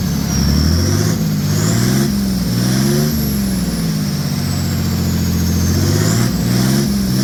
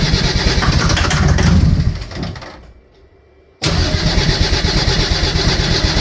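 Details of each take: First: Mercedes OM603 diesel in a Ford Ranger (Doomsday Diesel adapter, ZF5 transmission), after first start and brief warm-up, good oil pressure: climbs smoothly through two rev blips and settles cleanly, no knocks or misses; healthy engine. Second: Mercedes OM603 diesel swapped into a Ford Ranger (Doomsday Diesel adapter, Ford ZF5 transmission), first start attempt after sitting, starting fluid used: slow, labored cranking about three beats a second fading out; battery pretty dead.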